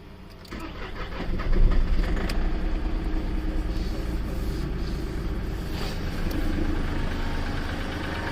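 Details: Seat Ibiza 1.2 TDI cold start: diesel fires and settles into a heavy, uneven clatter at idle; cold-engine knock, cause suspected, not confirmed.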